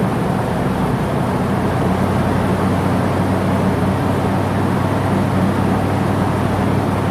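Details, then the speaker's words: 10th-gen Ford F-150 on first start after a new engine install, warmed up to temperature and run through a break-in cycle with good oil pressure: a steady, even drone with no ticking, knocking or misses, running great. "But major thing is the motor. It run great. Oil pressure is great. It got up to temperature."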